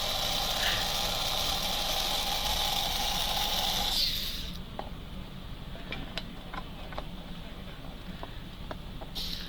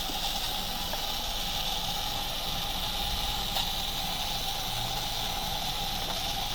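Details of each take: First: Motor after pinion replacement and top plate work, run on test rollers at about 0.06 A draw: a high, even whine with a light buzzy rattle for four seconds. This is roller bounce noise, not gear noise. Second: Electric RC car after pinion replacement and top-plate tightening: steady high motor whine with faint constant dry scuffing and ticks; rear tire rubbing the post, not seated correctly, amp draw about 0.06.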